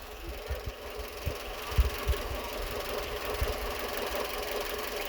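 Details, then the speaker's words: Renault Twingo 2 D4F at idle with engine light on, running on three cylinders, gear lever shaking, power loss: irregular low thumps and a lumpy, stumbling beat persist after spark plug work; an injector or the coil suspected, garage had blamed an injector. "On a toujours le bruit. Probable aussi un injecteur, parce que le bruit c'est pas normal. Pas juste les bougies."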